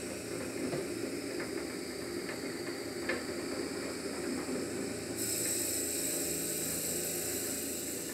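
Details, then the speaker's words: Colt 7mm drill bit boring a grainy timber or brittle resin pen blank: steady ratcheting cut with scattered clicks, then abrupt lighter, hissier note as the bit breaks through the blank. "noise there, and that shows that we're right through the blank."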